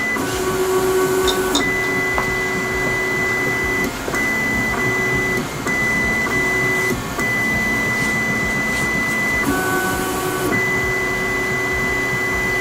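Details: Voron 2 3D printer homing on the nozzle, picking up its Euclid probe and running quad gantry leveling. The steppers sing clean, steady high tones that stop and restart between moves, with no grinding or skipping. Healthy leveling run.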